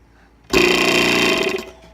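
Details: Wheeler Rex hydrostatic test pump after replacing the drive ball bearing that runs the piston: short even motor hum, steady tone, no grinding or knocking; spins up cleanly and runs like new.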